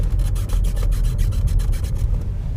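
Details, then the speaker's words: Volkswagen T-Cross 1.0 center console pressed with a knee gives a dry, rhythmic rasping creak, about five rubs a second, from loose, poorly fitted interior trim. A rattle near the glovebox is also mentioned. "it also constantly rattles somewhere over there by the glovebox I don't know what it is it's not something in the glovebox I checked and of course also the center console if I do if I press against it with my knee you hear that"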